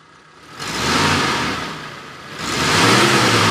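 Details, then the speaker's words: 2013 Mitsubishi T120SS 1.5 fuel-injected pickup, dry with no oil seep: two smooth throttle blips rising and falling cleanly with no misfire or hesitation; normal revving. "gimana kondisi oke aman mesinnya itu kering gak ada rembes oli suaranya juga normal masih halus injeksinya normal nggak ada masalah"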